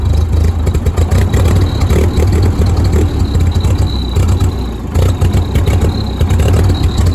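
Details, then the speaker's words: Old Ford 2N tractor with bad spark plug wires and carburetor still to be checked: deep, uneven chugging with stumbles and lumpy low-end beats, then it died; rough running engine, cause not confirmed. "I'm gonna go ahead and start it up here. There we go. Yeah, there it was. Nah, it sounds awful."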